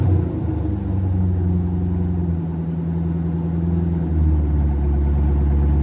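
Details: C5 Corvette V8 after rodent-infestation cleanup and rebuild: deep, even rumble with steady low beat, no knocks or ticks; idling smoothly.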